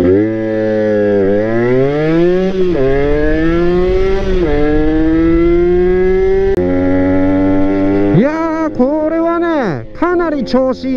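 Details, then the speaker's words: Honda NSR80 two-stroke, riding after head gasket replacement cured coolant in the combustion chamber, wet plug and full-throttle stalling: crisp wail climbing cleanly through each gear and dropping on shifts, no misfire; runs healthy. "はいホッドガスケット抜けたわなぁ多分間違いないですねかなりで調子良いですよ"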